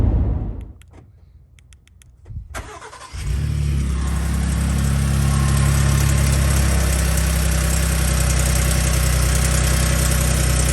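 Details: Gen2 Ford Raptor cold start at about 53°F after two days unstarted: brief cranking, then loud idle with rough rattle, louder than before; owner suspects cam phasers, possibly turbo actuators, unconfirmed.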